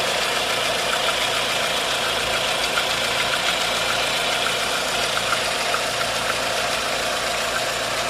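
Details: 1.4 16V engine at even idle with light, irregular ticking, a few taps a second; timing chain tensioner checked and a belt removed, noise persists. Internal knock, source unknown.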